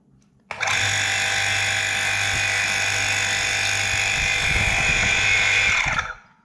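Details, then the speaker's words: Domestic water pump motor (Tullu) after rebuild and seal fit, running dry: steady hum with even high whine then clean spin-down; slight gurgle as impeller lightly touches the brass part, expected to vanish with water. "दोस्तों यह बिल्कुल सही तरीके से काम कर रहा है थोड़ी सी आवाज़ में कुलबुलाहट किया रही है कि फॉर्म से आवाज आ रही है"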